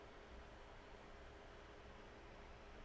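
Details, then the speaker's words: Desk fan turned up and moved close to a streaming microphone, all audio effects off: steady, even airy hiss with faint low hum, no knocks or rattles; fan running normally, just loud background noise. "Like, for instance, if we turn off all the effects so you get the clear sound, this is the new fan noise."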